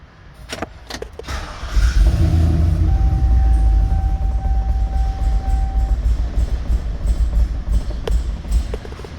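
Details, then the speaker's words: 2003 Chevrolet Silverado 2500HD that cranked but would not start, run on brake parts cleaner sprayed through the throttle body: fires and settles to a steady idle, proving spark is present and pointing to a fuel delivery fault (pump not powered, pump bad, or injector). "and so yes she does start up and run so that lets us know do we that we do have a fuel issue but we need to figure out is it just because the fuel pump isn't coming on or is the fuel pump itself bad or do we possibly even have an injector"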